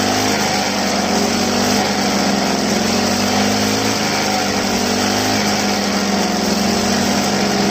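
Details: Two-stroke grass trimmer run until the tank was empty, refilled, on a cold day: buzzing with a slightly wavering pitch, struggling to pick up cleanly. Air in the fuel line, being purged by repeated throttle-and-release.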